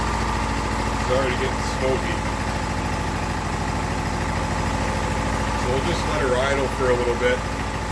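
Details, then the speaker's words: Briggs single-cylinder test engine that burns oil heavily: soft, weak, slightly uneven idle beat, with virtually no compression from cylinder damage and oil getting past the rings. "there's far too much cylinder damage in it there's virtually no compression left in this thing at all it's just there's like nothing so we're getting way too much oil pass the Rings"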